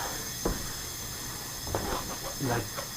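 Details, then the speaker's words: Mercruiser Chevy-block marine engine, leak-down on cylinder 8 at about 100 PSI: steady airy hiss of escaping air, not heard at the exhaust or oil; owner suspects it leaks into the intake, possibly a valve not sealing. "I don't hear it coming out the exhaust I don't hear it in the oil [Music] I don't hear or smell it's it's I don't think it's down in the lower half I think it's up in the [Music] intake"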